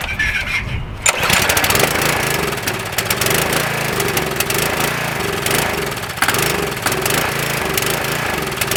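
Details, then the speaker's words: Craftsman 2500 PSI pressure washer with Briggs & Stratton 6.75 engine (model 168212) in for a no-start: it catches on starting fluid, then speed hunts and dies, running out of fuel. A carburettor or fuel problem, tried first with Seafoam before teardown. "So it runs and dies, which means it's running out of fuel from the starting fluid. As soon as it burns up, it's no more. So I know it's a carburetor issue, or fuel issue."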